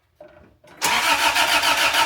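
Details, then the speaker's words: 1986 Toyota Tercel wagon with freshly installed rebuilt 3A-C engine, distributor just hooked up: starter clicks, then steady churning crank with a low regular pulse that never fires; owner suspects ignition timing is off, starting fluid next. "Turn the key back to on. I might be off in the timing. That might be what's going on."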